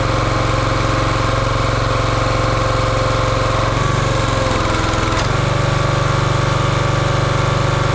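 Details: Champion 27-ton log splitter's 224cc single-cylinder engine, stored outside over a year, fired up after the hydraulic fluid leak fitting was tightened. Even thrum dips and recovers as the hydraulic valve loads it, then settles smooth. Healthy running, leak fixed.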